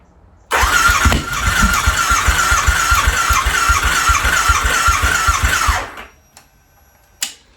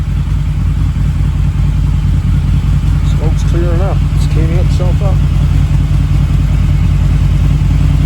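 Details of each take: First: Harley V-Rod first start in at least four years, new battery, throttle body refitted, fresh 91-octane fuel, old bad gas still in lines: steady starter chug about 2.5 beats per second for five seconds without firing; long crank, no start, cause unconfirmed. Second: Harley V-Rod, about 16,000 on the clock, restored with throttle body fitted, fresh 91-octane fuel and new battery, first start in at least 4 years: deep even V-twin throb, clean blips, no misses; smoking fading as it warms.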